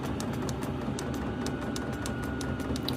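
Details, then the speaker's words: Diesel air heater in a woodshop, running: soft regular fuel-pump ticks over steady fan whirr, buzzing, nothing rough; normal running. "But, uh I can really feel that heat coming out of there now. You can hear it. It's buzzing."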